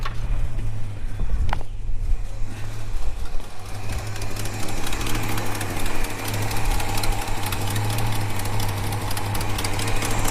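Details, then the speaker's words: Holden HK petrol engine idling smoothly with a fast, light ticking puff on top from an exhaust manifold leak, before that leak was fixed. "Well, she sounds, apart from that exhaust leak, she sounds really, really nice."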